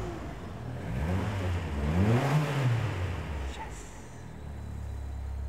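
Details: Ford Escort RS Turbo (Bosch K-Jetronic injection) with a running fault, just after the spark plug/HT lead was fixed: the engine revs up smoothly and settles to a steady, even idle with no misses, running clean on all cylinders.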